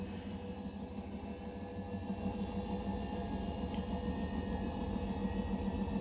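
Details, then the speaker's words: Indesit BWE101683 washing machine starting a spin-and-drain after a 1000 rpm push-and-wash cycle: steady rhythmic thumping about 3.5 beats a second over the drum whir, growing louder. The spin is slightly unbalanced and the machine shakes because the floor is uneven. "oh slightly unbalanced but as i said the washing machine shaking because the floor is uneven again"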